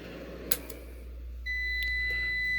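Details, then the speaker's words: APC BN450M 450VA (255 W) UPS with about 250 W load, mains unplugged: steady high beep starts and holds, then unit cuts out immediately; owner unsure why it shut off. "immediately shut off well who knows you know at least i ran more than 250 watts through it"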